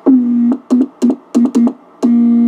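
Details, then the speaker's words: Heathkit VF-1 tube VFO keyed, heard on a receiver: tone near 230 Hz in short and long marks, each starting with a click and a slight pitch slide, plus a low hum growl; tube VFO chirp and key clicks, unlike the solid-state conversion. "You hear the chirps and the clicks? Also notice the hum. That low growl."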